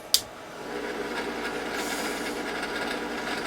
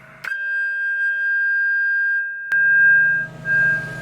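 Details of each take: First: Yaesu FT-101 early model ham radio, powered on from mains: a switch click, then a steady raspy whirring hiss builds and holds from the rear cooling fan; bearings suspected to be going; noisy cooling fan. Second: Early Yaesu FT-101 after its chassis screws were tightened: a signal-generator test tone comes through loud, clean and steady with no crackle, the S-meter now works and the receiver functions properly.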